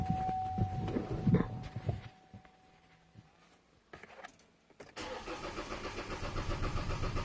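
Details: Chevy Colorado/Canyon ZR2 2.8L Duramax diesel after fuel filter change, with the fuel pump primed by cycling the key: clicks and a pause, then the diesel catches and settles into an even, steady idle clatter; normal start.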